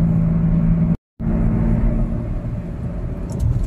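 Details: Perodua Alza while driving: deep steady droning hum under road noise, growing louder the faster the car goes, from the front left and right; worn front wheel bearing.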